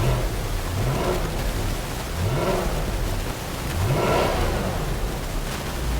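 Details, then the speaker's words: Volvo S80 AWD salvage car at auction yard, charging at 14 volts: three clean rev blips rising and falling smoothly over a steady idle with no knocks or rattles; engine sounds healthy. "sounds healthy she sounds real healthy can't lie about that"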